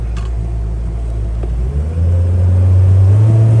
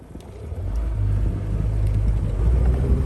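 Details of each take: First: Honda BF75D/BF90D outboard on the lake after annual maintenance and earlier hose pop-off and water intrusion and spark plug issues; steady drone climbing smoothly at wide open throttle, running super smooth and healthy. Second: Honda BF75D/BF90D outboard whose lower section flooded with salt water: droning motor sputters unevenly at wide open throttle, limited to about 3,000 rpm; misfire, owner suspects a spark plug, plug wire or fuel injector.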